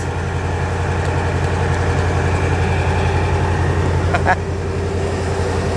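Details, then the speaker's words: Lazy Daze 22-ft motorhome idling after the exhaust leak was fixed with a new muffler and tailpipe; the old muffler was blown out at the front. Steady, even, quiet idle with no puffing or ticking, slightly louder with the engine cover open. Normal idle. "Pretty quiet. Awesome. Rev it? Okay. Yeah. Well, we have the dog box open. That's why it's a little louder. But if you come out, no noise!"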